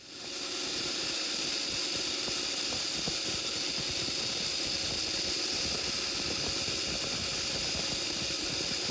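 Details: Treadmill DC motor on a worktable sawmill, running without a choke: a steady high hiss with fine crackling over the motor hum. The brushes spark heavily; fitting a choke built from a modified transformer nearly eliminates the sparking.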